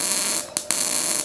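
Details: Ramco 120 A MIG welder running with CO2 gas: steady harsh hiss with crackle and a couple of brief drop-outs as the arc restarts; normal MIG arc.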